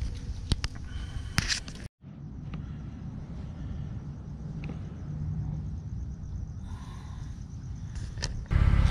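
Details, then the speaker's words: Jeep Wrangler JK on a test drive after replacing the front driveshaft with a Rough Country 1310 unit, which had begun making noise after off-roading; steady low road rumble with no clunks or whirring, the driveline noise is gone. "the last summer went off roading we started to hear that drive shot so we just took it out for a test the noise went away so mission accomplished"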